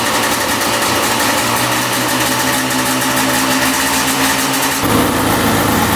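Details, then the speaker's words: 1995 Yamaha Banshee 350 two-stroke twin, revived after 18 years in a barn, after idle adjustment with air screws at 1.5 turns on each carb: fast, even buzzing idle with a brief blip and no stumbling. Running cleanly. "there we go we got idling perfectly now one and 1 half turns on the air screw for each carb oh yeah that sounds really really good"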